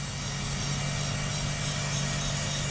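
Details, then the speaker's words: Mercedes CLK55 AMG M113, 150,000 miles, running at idle before breather hose replacement: loud, constant hiss over a smooth low idle hum; a huge vacuum leak through a cracked, hardened breather hose. "So if you can hear it, it's making a loud hissing noise. Hear it?"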